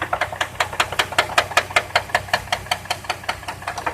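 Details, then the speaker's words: 2002 Chevrolet Trailblazer idling with a sharp, hard, even metallic knock from the front of the engine, worse when driving; began after an oil change, with little oil on dipstick; owner suspects a rod, unconfirmed. "It's knocking from the front of the engine."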